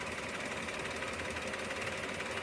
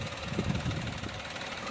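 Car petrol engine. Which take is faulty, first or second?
first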